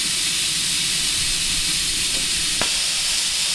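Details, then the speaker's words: New vertical test boiler, two safety valves set at 120 psi, not yet adjusted: constant loud steam hiss without pulsing as a valve lifts to bring pressure down to 120. "There's two of them. They said, you know, set at 120. So, they're going to drop the pressure down to 120."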